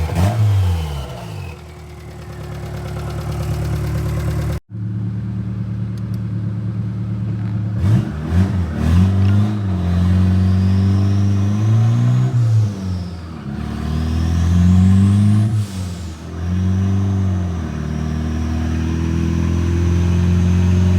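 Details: Turbo Honda Accord F23 after replacing the bad coil pack that had caused misfire at idle and in VTEC: it revs up and down smoothly with no stumble. Smooth revving, no misfire.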